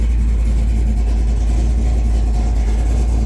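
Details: Big block Chevy V8 in a Chevelle, back after four years off the road, on its first test drive around the block, fans on, plenty of oil pressure: deep, steady rumble with no knocks or ticks; sounds healthy.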